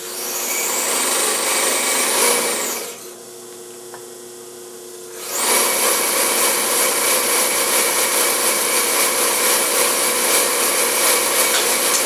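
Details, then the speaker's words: Singer 95-1 sewing machine (built 1919) driven by a quiet, relatively new clutch motor, test run after drive/timing belt replacement: smooth high whirring that drops away briefly then picks back up evenly; a set screw flew out during the run; belt working, normal running. "i have a uh pretty powerful quiet relatively new clutch motor on here so she will overcome any resistance on the machine that the belt is providing"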